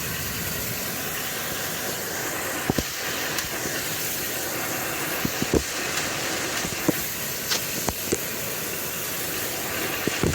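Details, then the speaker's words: Ford F250 7.3 L Godzilla gasoline engine, phone placed underneath, in gear against the brake with a little gas: steady hiss with scattered sharp knocks. The knock persisted with the belt off, the dealer's fix failed, and the engine is being replaced. "you can distinctly hear that it's making a noise and it is making a knocking noise too"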